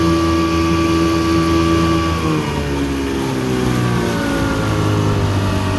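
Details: 1984 Evinrude 6 hp two-stroke outboard under load on the lake, after a crankshaft spline repair with a machined 3/8" hex-socket drive and shortened driveshaft: a steady buzzing drone whose pitch shifts once with speed, smooth and even. Healthy, 14 mph.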